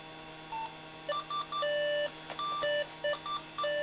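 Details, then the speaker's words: 20-plus-year-old Slot 1 PC with Pentium 3 550 MHz, powered on by shorting front-panel power-switch pins with a screwdriver after suspected power supply issue: repeated short high beeps in irregular bursts; POST error beeping, cause unknown. "we've got a lot of beeps. It's not happy."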